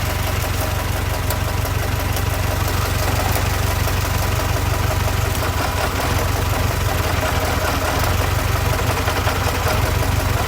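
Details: 1926 Ford Model T truck engine after fixing a loose connecting rod, plugs shorted one at a time: idles slowly and evenly with a steady low chug and no knock.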